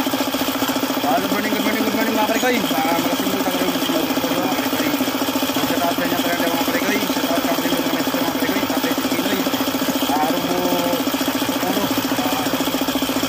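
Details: Suzuki F6A engine at idle with a steady knock about two to three a second keeping time with the engine, suggesting bottom-end knock; owner attributes it to a failed oil pump.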